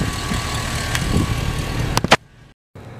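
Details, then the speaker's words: V8 crawler hauler truck after exhaust repair and flex plate replacement: a thin, steady whine at the front during idle. A screwdriver stethoscope rules out the alternator; the owner suspects the power steering pump, possibly the water pump. "all right so I stethos scoped my whining noise with like a long screwdriver and uh kind of sounds like it's coming from like this area right here it's not the alternator it it could be be the power steering pump obviously which kind of what it sounds like or it could even be the water pump"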